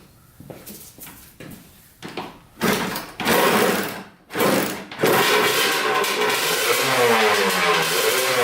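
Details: 1989 Kawasaki KX125 two-stroke, after new manifold fixed an air leak, running a carburetor with suspected wrong float height: ragged blips, then a flat strained buzz that climbs but never gets crisp up top; worn power valve gear, no top-end power.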